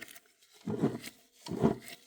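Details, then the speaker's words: 2013 Mazda 3 manual transmission removed for clutch replacement, found with no oil: two rough growling grinds as the shaft is turned by hand, a dry worn transmission bearing. "You hear that? Excessive grinding."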